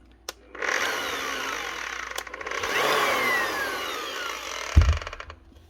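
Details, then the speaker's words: Bosch GBH 8-45 D rotary hammer from 2022, tested at reduced speed: the motor whirs freely with faint light clicking and neither hammers nor rotates. The eccentric gear is suspected broken. "Hear that wee clicking noise? That motor's actually spinning completely free. It's not meeting any resistance, it's not hammering or rotating or doing anything. The motor's just spinning."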